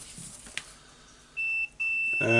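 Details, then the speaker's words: Hitachi DH40MR SDS-max rotary hammer drill, multimeter on the power cord's blue and brown wires: steady high continuity beep, brief break, then solid again; cord conductor intact, fault found in the switch instead. "okay so now we can check the cable with multimeter we just need to check the resistance of it of course you can check it on current it's go through or not"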